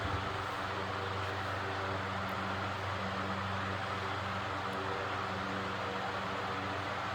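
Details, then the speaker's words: Antique Roto-Beam 20" circulator fan, circa 1937–1940, converted from wall mount to pedestal, at full speed. Steady rush of air over a low, even motor hum with no rubbing. It runs fine and fairly quiet; the startup rumble points to worn bearings. "but other than that when the Fan's up to speed it runs perfectly [Applause] fine fairly quiet"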